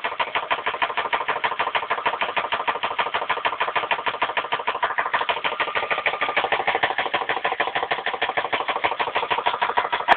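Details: 2001 Dodge Intrepid, 2.7L petrol V6 at 78,929 miles, idling: sharp metallic knock repeating fast and evenly in time with the engine; engine knock that forced the car to be parked.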